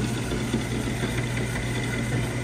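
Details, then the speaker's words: Radiant heating circulator pump after power cycled: constant low hum with rough, gritty vibration, no speed change; this circulator is failing and must be replaced, not confirmed as cause of the no-heat issue (bad zone valve also found). "that's not a good sound this circulator has got to go this circulator however is making that noise it's just this one right"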